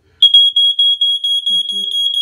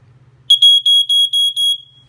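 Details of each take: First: Early-1990s Ventek/Visual Alert FA100 smoke alarm with strobe: loud high pulsing beep about two and a half seconds, silence, then repeats; tone measured as G sharp; sounder working normally. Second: Early-1990s Ventek/Visual Alert FA100 smoke alarm with strobe, just plugged in: six short shrill high-pitched horn blasts about four per second, then silence; sounds and flashes intermittently then stops on its own.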